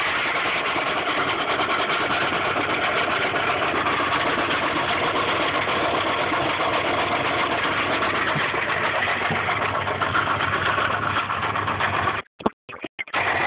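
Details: 1995 Subaru Impreza at idle: quick, fairly even knock at about four per second under the idle, rod knock from a worn bearing persisting after an oil change and additives.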